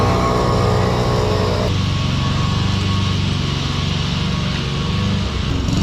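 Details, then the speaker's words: Roller lawn mower under load while mowing, still faulty after the shop cleaned the carburetor: the engine note drops and climbs back with an uneven, lumpy beat, pulsing hard; it is surging and the cause is not confirmed. "Pulsing. Don't know if you could hear it pulsing there, but the mower's we're gonna have to switch the mowers, go back to base and get the other one, because this is it's pulsing really hard, and it's what I took it to the shop to get fixed."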